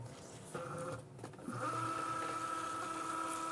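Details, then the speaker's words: Cricut Joy cutter loading a non-matching mat; steady high-pitched small motor whine with light mat rattle, some noise is normal because the mat isn't adapted, normal cutting noise. "on est d'accord quand vous arrivez il fait un peu de bruit c'est normal parce qu'en fait c'est le truc c'est pas adapté"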